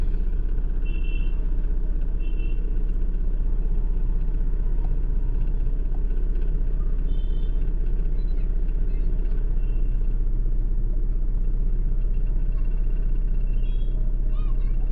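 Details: Honda Civic petrol engine, check engine light, codes P0352/P0135, pickup drop and stalling over speed breakers: deep lumpy idle with a steady stumble over twice a second and heavy shake; misfire from a failed ignition coil.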